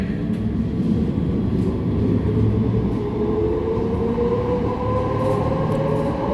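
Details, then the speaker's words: Manchester Metrolink tram at speed just after leaving Failsworth toward Hollinwood: loud rolling roar with steady singing tone around 500–600 Hz from the rails; rider suspects rail grinding left them rough; tonal rail roar. "Now it's going to be a bit difficult for me to talk over this, but it's coming from the rails themselves."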